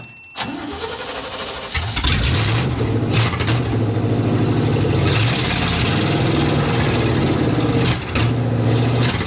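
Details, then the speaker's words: 1987 Chevy square body short-bed pickup, un-muffled straight headers, clogged fuel filter found, fuel pump powered by separate battery amid unsteady pump voltage: cranks, catches, lumpy surging and sagging, won't idle; owner suspects distributor; rough running. "Doesn't want to idle. I think the distributor's kind of messed up, so. folks, at least it runs, but not very well."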